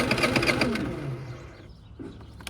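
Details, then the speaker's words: Predator 3500 generator, customer complaint of no start: brief rough churning as the engine cranks, then dies away without firing. Crank no start, later traced to fuel starvation from a clogged fuel line hose. "for some odd reason this vehicle I'm vehicle I'm sorry this generator is not starting so I'm going to let you guys hear see what it's doing so pretty much customer says uh generator doesn't start"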